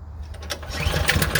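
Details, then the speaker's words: Craftsman snowblower, roughly 3 to 4 years old, primed three times and just pull-started: it fires unevenly with lumpy pulses and pops on full choke, and the popping stops as the choke is eased off click by click. "Now it's running a little rough, so I'm going to take the choke and I'm going to move it until it runs smooth."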